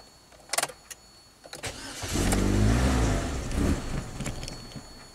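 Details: 2010 Chevy HHR 2.2L Ecotec starts, surges roughly a few seconds, then dies; eight codes stored incl. mass airflow sensor performance/low frequency, MAP, intake air temp, misfire, idle speed low.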